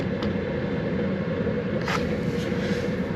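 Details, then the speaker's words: Vevor Chinese diesel air heater on first run in workshop, about 4°C ambient, turned down to low: low steady whoosh of burner and blower with even hum, no surging or popping; running normally. "I got that down to to low it slowed down it's just going to keep pumping that out"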